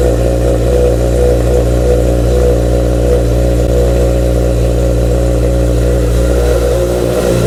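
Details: Honda CBR after cam chain tensioner replacement: strong, even engine note with no buzz or rattle. The earlier buzzing from the engine's right side at 3000 rpm is gone; normal running.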